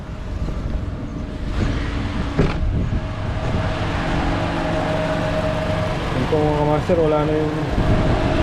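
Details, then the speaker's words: 2018 Toyota Camry 2AR-FE automatic with a knock traced to a flexplate cracked around the bolts, not rod bearings: heard from outside at idle with AC on, a steady, even hum with no knocking; normal idle. "so there Kamaster there's no noise in the engine even if we turn on the ac"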